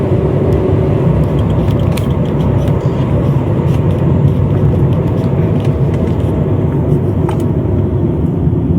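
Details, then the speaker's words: Honda CR-V on a test drive at over 50 km/h after an intake air leak was fixed and the clamp tightened: steady engine pull under road and tyre rumble, no hiss on acceleration; normal. "So, as you can see, I'm driving at 50 km over 50 km/ hour and the sound is okay and it's not happening again."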